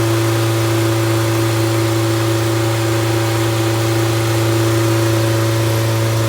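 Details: Completely rebuilt MG Midget 1500 engine (~1978-79), bored 0.020 over, flat-top pistons, 270 cam, 9.5:1 compression, run-tested with no muffler: strong steady even drone at constant speed, no knocks or misses; runs smoothly.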